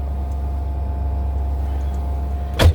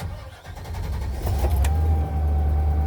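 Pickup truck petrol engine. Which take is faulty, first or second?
first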